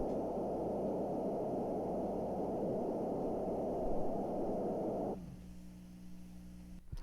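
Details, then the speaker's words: JCPenney vintage 8-track player: soft whooshing pulse three to four times a second through the speakers, like an ultrasound in the womb; motor noise leaking into audio output, bad capacitor suspected. "there is probably a bad capacitor in here that's allowing noise from the motor to come back through the system it almost sounds like a uh I don't know like a an ultrasound or something of a what it sounds like inside of the womb"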